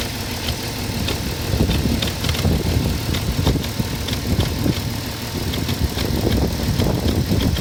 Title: Cayenne 3.2 lpg 2004 noisy when cold...